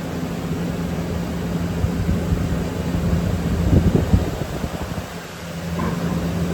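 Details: Walk-in cooler condensing unit restarted after the contactor pulled in, one of three units with a poor wire connection, room cooling from 48 toward a 34 setpoint, now 38: steady low compressor hum with fan whoosh, no cycling or rattles; running normally.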